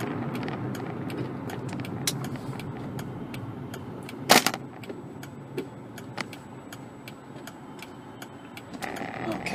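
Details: VW Polo GTI, turbocharged, driving on a bumpy road with the engine temperature fine: light, fairly quick regular ticking sits above road and cabin noise; engine ticking, source not yet pinned down.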